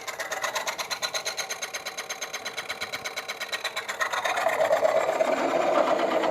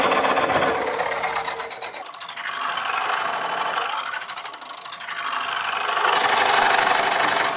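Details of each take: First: Woodcut Bowlsaver coring a bowl on the lathe: steady rhythmic scraping near three per second, then a brighter tone change around five seconds, the cue to stop and check core flex; little flex yet, core close to coming out. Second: Woodcut Bowlsaver coring a bowl on the lathe: dry rasping scrape pulsing about four times a second as the coring blade rubs on a loose shaving trapped over the end; shavings must be cleared frequently.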